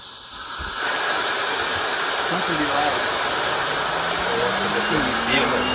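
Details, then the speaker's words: Dual-stage Tesla turbine driving a wireless generator on a low-speed endurance test at around 8,000–11,000 rpm: steady airy hiss with a faint tone slowly climbing, no knocks or rubbing; smooth, voltage coming up. "It's very smooth. How open is that valve inside? 8,000, 9,000?"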